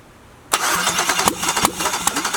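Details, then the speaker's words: LS-swapped Jaguar XJ-S on first start attempt, no headers, original PCM, cranked by a helper while an old plug is spark-tested against the head. Quick, even starter rhythm without firing; spark confirmed. Normal cranking. "so i've got a helper in the vehicle i'm going to have them start the engine"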